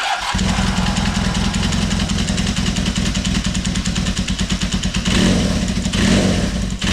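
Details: Kawasaki KZ400 started on choke a week after head gasket leak repair: catches straight away and settles into an even, steady idle with clean throttle blips, no ticking or knocking; normal start and idle.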